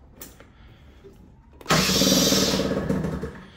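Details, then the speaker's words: Scooter two-stroke, cold start with choke deliberately off to mimic a failed auto-choke, throttle given: starter whirs about a second and a half but engine never catches; hard cold start from non-working choke. "now I've got the choke in the off position I've done this deliberately cuz I want to show you what a bike with a choke that's not functioning properly uh sounds like when you try to start it even giving it throttle throttle doesn't want to"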